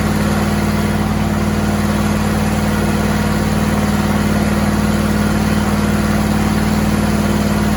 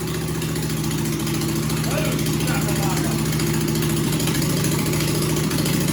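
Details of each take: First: John Deere and Suzuki Frankenstein outboard, restarted after the bolt holes were plugged; steady even low hum at idle with no puffing, popping or ticking, much quieter than before. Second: John Deere/Suzuki hybrid outboard, choke on, no muffler fitted yet: harsh raw single-cylinder bark at steady fast idle, loud throughout with exhaust open straight from the port; muffler to be fitted next, then much quieter.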